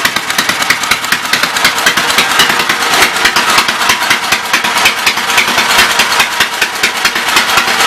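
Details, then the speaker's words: Westchester engine, just revived, on about 3/4 choke: rough, uneven popping beat, loose and ragged. It is smoking and pumping oil from a worn top end, and the owner plans to overhaul a spare cylinder. "not bad. It's even pumping oil."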